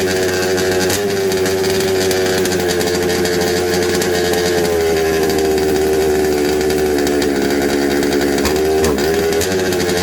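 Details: Secondhand 1/5-scale RC Baja two-stroke after a carburettor swap and refitting the original gaskets from the other carb; spark checked good. It holds a buzzy, wavering high note that hunts and dips and won't tune. Slightly better but still running poorly; cause unconfirmed.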